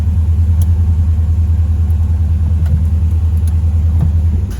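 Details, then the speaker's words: LS-swapped (6.0 LS tagged) Chevy Monte Carlo at a deep, even idle with a steady beat and no misses or ticks; owner says it runs really well now. "But she runs so well now, man. Wow. I love it, y'all."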